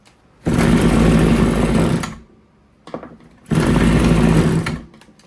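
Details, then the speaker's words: RedMax TRZ230S two-stroke trimmer, hard to start, running rough and leaking fuel, with idle being turned up: it fires and buzzes about 1.5 seconds, then fades, sputters and dies because it was not given enough fuel. "Oh, I never put enough fuel in it. How many times has that happened to you? Every small engine guy's favorite saying, it ain't got no gas in it."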